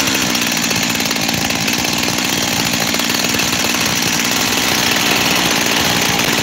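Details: Freshly rebuilt Husqvarna 372 XTorq chainsaw two-stroke with new bearings: high buzzy fast idle with a restless uneven beat that won't settle, like a lean engine drawing extra air; owner suspects an air leak at the transfer cover.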